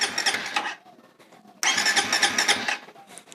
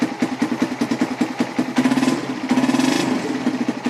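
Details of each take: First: Suzuki Satria/Raider FI motorcycle, ignition on, hidden anti-theft switch activated (wired to green pulser wire and frame ground): starter whirs in two bursts but engine never catches; crank no start, ignition cut by kill switch. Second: Suzuki Satria/Raider FI motorcycle, hidden anti-theft switch turned off again: quick start into a regular, even putter at idle with no knocks or stumbles, then shuts off; normal start and idle.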